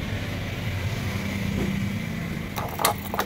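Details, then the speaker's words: Yamaha RayZR 125 BS6 scooter with starting problem, after removing the self-start cut-out: engine catches on a single kick and settles into a steady low putter, then handling clatter; clean first-kick start. "Lock on చేసి నేను మళ్ళీ kick కొట్టినట్టు అయింది అనుకో vehicle single kick stop అవుతుంది"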